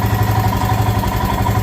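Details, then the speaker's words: Royal Enfield Himalayan single-cylinder, warm after riding, idle adjusted to cure high idle when hot: steady even thump at settled idle around 1100 rpm, no hunting or surging; normal idle. "that is a perfect idle on this uh on this motorcycle"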